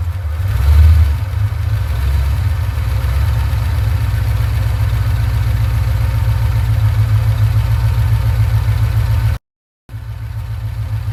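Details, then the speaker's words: 1989 Ford Mustang GT V8 after a tune-up with new copper spark plugs and vacuum hoses plugged: deep, steady burble settling into an even idle with no misses, knocks or ticks; running much better. "seems to be running a lot better"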